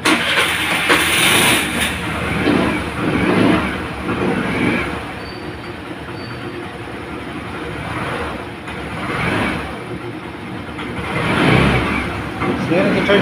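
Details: Suzuki Burgman 125 scooter, hard starting traced to low battery, tested with new 12.5 V battery, charging 14.1 V: engine fires and settles into an even idle with mild rev rise and fall, no knocks; normal running.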